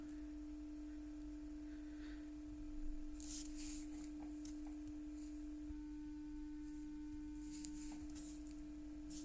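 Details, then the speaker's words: Panasonic Cobra RX DT-95/DT-75 speaker after surround replacement, playing 300 Hz with 20 Hz added for long excursion: pure, steady hum with no rattle or buzz despite a slightly unglued spider; no distortion. "сигнал взагалі не змінився там відклеїлась чуть-чуть центруюча шайба і він дає призовки Ну ніякого рваного сигналу там на частоті 300 Гц ми не відчуваємо"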